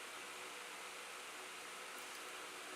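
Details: Oscillating fan plugged directly into mains on its high speed setting, not through the SCR voltage regulator: steady, even rush of air with no rattle, tick or pitch change; running cleanly.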